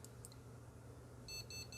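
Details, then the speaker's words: Desktop PC bench-tested with power supply, motherboard, CPU and graphics card but no RAM installed, beep speaker fitted: run of short evenly spaced high beeps signalling a memory fault; board likely fine. "지금 삐삐삐삐 소리가 나죠? 이게 바로 지금 여기서 나는 비품입니다. 지금이 소리 같은 경우에는 메모리 쪽에 분량이 있다고 알려주는 소리입니다."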